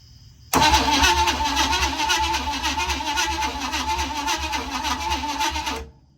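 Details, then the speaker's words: 1956 Chevy Bel Air with formerly locked-up 265 V8, untouched otherwise: starter spins it at a steady uneven churn for about five seconds, never fires; no spark at the plugs despite 12 volts at the coil. "No spark. Surprising? Not whatsoever."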